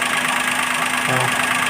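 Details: CNG/petrol car on CNG, idling after repair of a partly broken four-wire harness that caused CNG misfire, jerking and a blinking engine light: steady even hum with no stumbles or missed beats; smooth idle.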